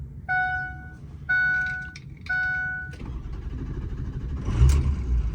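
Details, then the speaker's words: Ford 6.0 diesel, warm (oil 195°F, coolant 197°F), after fixing a passenger-side dummy plug and standpipe leak for a hot crank no-start: three chimes, then it catches almost at once and idles steadily. "Just like that. Started up fine."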